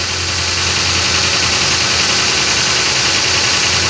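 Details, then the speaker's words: Ford Crown Victoria Police Interceptor V8 idling on a used-car test, steady engine knock running through it about three or four knocks a second; a car to avoid buying. "that right there friends is an engine knock and if you're crrom viic the one you're test driving the one you're interested in buying makes that noise I would stay as far away from it as you can"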